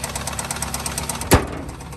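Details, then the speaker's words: Nissan petrol engine at idle with rapid steady knock, customer thought belt; found three quarts low on oil, long overdue oil change, no leaks; rod knock from oil starvation, quieter in drive, engine done. "seriously though it sounds like a 70s diesel i have a 1978 ganmar two-cylinder diesel tractor that sounds exactly like that"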